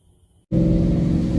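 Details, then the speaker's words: Car that ran badly and misfired after a drag-strip session, after a cleaning on one side: it catches and settles straight into a steady, even rumble with no miss, so normal running. "everyone that seemed to have done the trick guy more doesn't seem like it's missing anymore it's freaking awesome"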